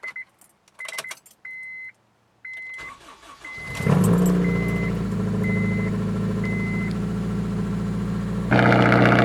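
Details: Acura RSX cranks and catches into a rough idle with a knock; no oil leak is visible. The owner suspects a spun rod bearing or jumped timing, unconfirmed.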